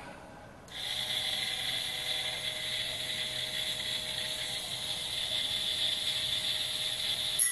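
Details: Banggood 220V 72W micro rotary tool at maximum speed with an oversized 75 mm cutting disk: high steady whine and hissing cut holding pitch without bogging; normal cutting under load, cut through reasonably thick stock, motor stayed cold.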